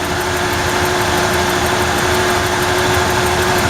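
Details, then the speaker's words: 1994 Ford F-150 4.9L inline-six idling after a bad new spark plug was replaced to fix a misfire; still hunts slightly, with a light regular tick about five a second. Owner suspects ignition but can't trace it despite swapping wires. "Settle down in idle. That's not bad. Still hear that ticking. I can't figure out what it is."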